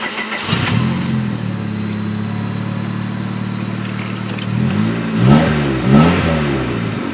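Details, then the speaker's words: 1996–2000 Honda Civic after installing a 255 lph aftermarket fuel pump and priming it: the engine catches and settles into a steady, even idle with light throttle blips. It runs well, though rich. "they'll eventually get really rich full rich but you know starts up so far runs good"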